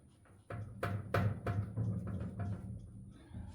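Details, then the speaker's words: Truck rocked while parked: series of dull clunks about three a second from the rear corner, not the exhaust or hanger; owner traced it to a bad rear wheel bearing on that side, suspected not confirmed before replacement. "y'all can hear that slight but it's not from this side so my first initial thought was to come to this side maybe the exhaust is hitting or something"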